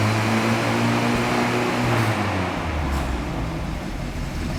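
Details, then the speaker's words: 1967 Land Rover Series 2A, a bit cold after sitting out overnight: engine catches promptly and settles into a steady, even idle with a slight rev dip, no knocks or misfires; owner says she runs lovely; normal start and idle. "I don't know for that stereo one it's probably awful but yeah she runs lovely a bit cold and it's been out it's been sitting out overnight in these peo"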